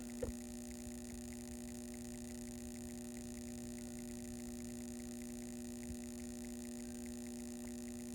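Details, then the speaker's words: 1968 Corvette fully mechanical clock with solenoid auto-winder, after disassembly and oiling: faint regular ticking over steady electrical hum, single sharp pop as point contacts, coil closes and winds ratchet spring; previously stopped, now running normally. "and the point makes contact and closes the coil and widens the ratchet there's a spring on there get right in the center see moving slightly so the spring is keeping the clock operating"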